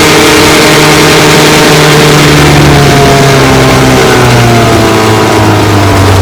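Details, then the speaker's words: 1954 Johnson QD-15 10 HP two-stroke outboard after full restoration, running on the water: loud buzz whose pitch slowly wanders downward as the carburetor needle valve vibrates loose through a loose lock nut, needing adjustment. "Let's take her for a run. Needs to be adjusted. It's loosened up."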